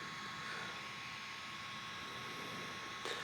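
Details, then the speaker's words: OQO Model 2 ultra-compact PC (2007, not the SSD version) booted up and searching for Notepad. Its spinning hard drive gives a constant, unchanging high whine with a faint airy hum. The weak CPU is always working hard, so the machine is noisy. "you guys might hear how noisy this computer is um cuz it has a rotating hard drive and uh the CPU isn't very powerful. It's pretty much always working hard."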